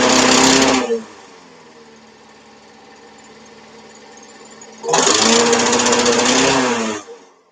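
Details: Honda lawnmower fired up on choke after the work, with petrol, oil and spark plug in; it catches and runs with a fast, even buzzing beat in two strong bursts, no misfire or sputter, starting and running normally.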